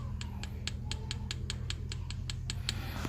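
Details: Rapid sharp clicking knocks, about five a second, over a low cabin rumble, heard inside a 2017 Chevrolet Spin LTZ manual with constant suspension noise despite new links, shocks and bushings; cause found to be a worn tie rod end.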